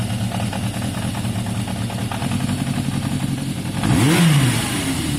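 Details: Yamaha XJ550 motorcycle warm idle with a steady low patter and one quick throttle blip that rises, falls and settles back, after carb cleaning; revving strong, slightly smoky from cleaner and idle a touch low; normal idle.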